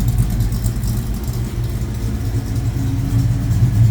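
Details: 1972 Mustang Mach 1 restoration V8 ($1,000 engine): deep steady idle with even low rumble, no knocks or ticks; lots of oil pressure, quiet; normal idle.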